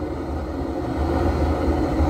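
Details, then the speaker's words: Outdoor boiler converted to waste oil, testing new burner nozzle, oil fed via needle valve, vacuum running nearby: steady low even roar, no sputter or pulsing; nice clean burn, no smoke. "all, pretty successful. Nice clean burn. No smoke coming out of there at all."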